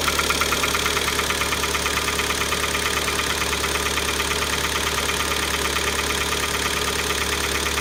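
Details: Kia Optima engine at startup (15.05.2018): steady idle with a sharp metallic tapping at about ninety a minute, an internal engine knock. The engine was ultimately replaced under warranty.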